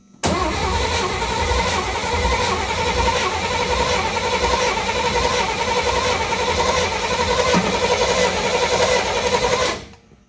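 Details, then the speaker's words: 1955 Chevy with newly installed 355 engine and M20 Muncie 4-speed, first fire-up after building oil pressure with new fuel pump: steady starter cranking with an even chug that never catches for ten seconds; cranks but no fuel. "ain't picking up fuel yet. All right, I got fuel in it and we're going to attempt to start it again."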